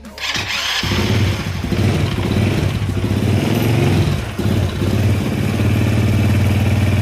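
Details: Honda Supra Fit motorbike after repair for smoking, exhaust reinstalled: fires quickly and settles into a smooth, even beat rising and falling cleanly with the throttle; engine sounds healthy.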